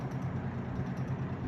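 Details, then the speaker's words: 1969 GE W25 three-speed box fan on low speed: low rhythmic buzzing rattle pulsing several times a second and a shimmy at start-up from an out-of-balance blade set, a noise it has always made; replacement blade sets unobtainable. "So as you may have seen, it still has a little bit of a shimmy to it when it starts. It always has. That rattling noise you hear, it's always made."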